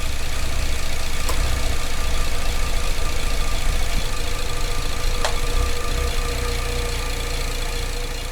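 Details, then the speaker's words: 2008 Cadillac CTS 3.6L GDI V6, misfires on cylinders 2 and 5, idling with cam actuator connectors unplugged: low, slightly rolling idle; runs worse when plugged in, owner suspects bad cam phasers or ECM signal. "so I'm getting a little rolling effect but if I plug the actuator in it runs"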